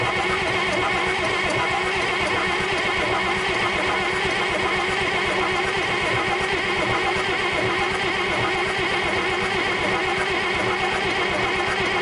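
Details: International DT466 diesel with 5-speed, first start in 8 years, rebuilt injector pump, bled, small primary fuel line leak: steady cranking with uneven sputters, won't catch; fuel shutoff stuck partly closed, fired up once moved fully.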